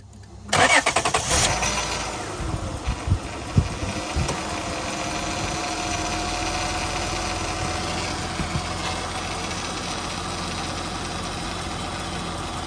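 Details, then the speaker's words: 2001-2006 Acura MDX, power steering whine traced to low fluid, after topping off to max: engine starts and settles into steady even idle with no whine from the steering pump; now normal. "There we go. So it sounds much better already. There, no more power steering wind. So it's just low on fluid."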